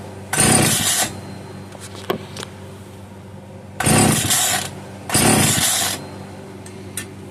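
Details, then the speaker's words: Italian-made Castor 330 Antivib chainsaw (rebranded Alpina), seemingly little used, on the bench set up for bottle feeding: three short crisp two-stroke revving bursts, each dying within a second; won't run on its own fuel supply, fuel delivery fault. "Okay, I think it's safe to say that this thing is not going to run on its own fuel supply."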